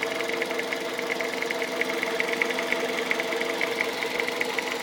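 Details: 2001 Toyota Avensis 1.8 VVT-i (1ZZ-FE engine) at idle: light, sharp ticking about two or three per second over a steady idle; top-end tick of unknown cause, owner seeking identification.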